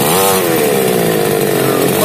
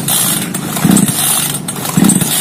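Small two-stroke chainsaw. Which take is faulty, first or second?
second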